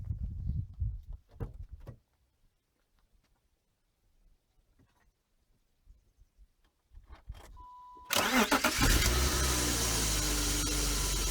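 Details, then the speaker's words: BMW E36 start-up: clean crank into a steady idle with no squeal or chirp from the accessory belt, indicating healthy belt and pulleys. "listen all right so what did you not hear there's no squeals or squeaks in the belt"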